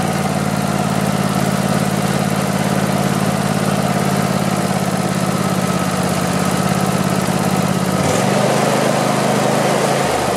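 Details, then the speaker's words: Craftsman YT4000 lawn tractor with a twin engine, after sitting in a barn for years, runs with a steady, even low thrum at constant speed and no knocks or misses. It sounds healthy and may only need a cleanup and maybe a carburetor clean. "Sounds pretty good. So not bad. I think I just need to clean it up a little bit and maybe clean off the carburetor a bit."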